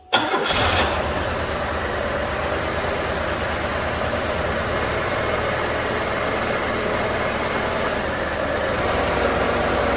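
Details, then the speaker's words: A 1994 Buick 3800 V6 with tuned-port injection, pre-OBD2 with no misfire counting, cranks, catches quickly and settles into an uneven, loping idle. Shorting plug wires showed a cylinder pair not contributing, so one of its three ignition coils appears dead. "that cylinder doesn't make any difference neither does that one the beast that does that does that that does so i think this coil's dead"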